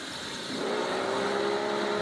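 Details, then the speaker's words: Mitsubishi Lancer on jacks, put in drive: a steady mid-pitched whine rises out of the running noise, louder after it reaches operating temperature, with no power loss; it seems to come from the transmission area, possibly a fan motor, cause unconfirmed. "sounds like it's coming from the transmission area but as I said I need to figure out you know exactly where and what is making that noise"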